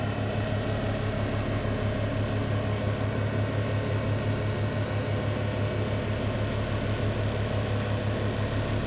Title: Range Hood Vibration and Loud Noise